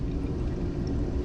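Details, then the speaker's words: Air conditioner drain line and auxiliary pan, tested by filling with fresh water after a clog caused leaking: steady low gurgle of water running away with no backing up or sputtering; drain flowing freely. "hear it draining and i can see it draining so it seems like we're okay"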